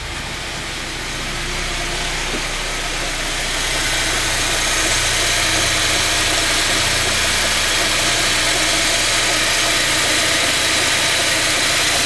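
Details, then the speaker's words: ZMZ-409 engine running: a quick, regular tick about four times a second that speeds up with the revs, not rods or pins; a cracked, chunked drive belt. "о слышно было с такой с амплитудой вот так примерно то есть не шатуны не пальцы но звучит что-то вместе с двигателем и совпадает с оборотами"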